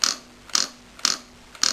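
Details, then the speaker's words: Porsche 944S2 idle air control valve removed and bench-tested by flashing power across its terminals: crisp sharp clicks about twice a second; the solenoid switches cleanly, working well after cleaning with choke and carb cleaner. "it obviously moves something inside which cuts off the air supply so you just flash it basically you to stroke it across very quickly so if you listen you should hear the valve working"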